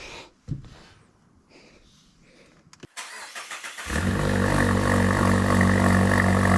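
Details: 2021 Mazda 3 Turbo just fitted with a CorkSport 80mm (3-inch) cat-back exhaust with two resonators: short crank into a smooth steady idle with deeper exhaust note; no leaks, normal start and idle.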